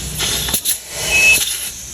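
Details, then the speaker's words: Haltech-tuned Mitsubishi Evo on the dyno after boost spiked and hit a cut: loud airy hiss rising and falling in surges while the intake is pressurised, bubbling seen underneath; boost leak. "Heat up here. It's crazy how loud it's hissing."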